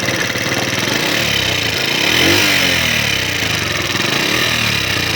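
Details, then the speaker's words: Honda CD70 motorcycle after oil pump gear replaced, oil now circulating, running: fast loose top-end clatter about four taps a second from the head; worn rocker arm, also blamed for low power and poor climbing. "Oil उठा रही है, लेकिन जो आवाज़ें आ रही हैं हेड में से आ रही हैं।"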